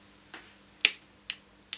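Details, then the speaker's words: Nokia N8 phone, loose top casing that began clicking about a week and a half into use and won't click back into place: four sharp crisp clicks about half a second apart when pressed. "I don't know if you can hear that clicking but it started clicking about a week and a half into our review trial of the product and it's it doesn't seem to click back in place"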